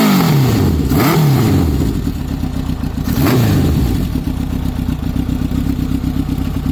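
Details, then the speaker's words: Honda CB900F, 16-valve inline four: it revs up and drops back twice with cleanly rising and falling pitch, then holds a smooth, even idle. Normal running. "Now I'm going to start the bike for you to hear it."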